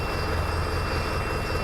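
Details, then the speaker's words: About 20-year-old Mercedes Vario diesel campervan, first start after winter in a barn with flat batteries, jump-started with booster: steady, even idle with low drone and faint high whine, no knocks or misses; healthy. "I'm going to have to lean over the seat. There you go. She starts."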